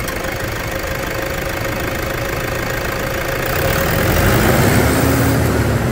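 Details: Toyota Hilux diesel revved after brake work and about 159 km of testing; clatters evenly at idle, then revs cleanly with smoothly climbing pitch, no knocks or misses; normal healthy revving.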